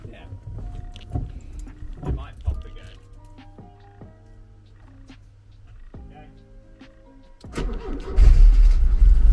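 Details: Porsche 924 after re-soldering pins on the fuel pump relay: after a quiet stretch the engine catches first try and revs loud and strong, fuel delivery restored.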